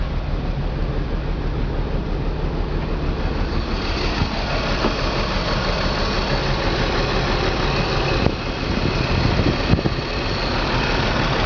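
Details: BMW 325 M54 every-morning cold start: shaky idle with irregular stumbles, misfire codes on cylinders 3 and 5, sometimes 4; CCV, plugs, coils, fuel filter replaced and injectors cleaned without cure; stops once temperature rises.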